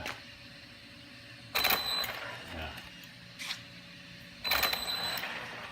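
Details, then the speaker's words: Brand-new VKAR Bison RC truck under very light throttle. Two short blips, each with a thin motor whine and a gritty crunching rattle. The owner suspects the slipper clutch or the gear mesh. Drivetrain crunch under light throttle. "Yep, this sort of crunch rattle type of sound."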